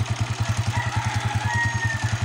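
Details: Honda TMX 155 single-cylinder motorcycle, stock, previously had spark but would not start, now running: steady, even idle at about nine firm beats a second with no stumbles; healthy; the usual culprit for this fault is the ignition coil.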